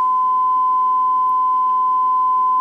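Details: Restored Dynaco Mark III tube amplifier on variac rising from 70s to 88 V input, bias 0.6 V and climbing: steady pure 1 kHz tone held level, very quiet background; test signal reproduced cleanly.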